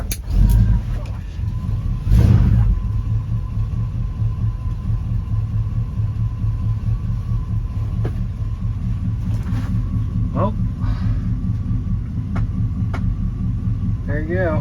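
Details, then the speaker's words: 1972 Chevy C10 with 350 V8 and 350 three-speed automatic, first start in years after adding fuel: a deep, even rumble settling into a steady idle, no misses or knocks; owner suspects slightly sticky rings from light smoke. "It just needed some more fuel, I guess. It's pretty neat."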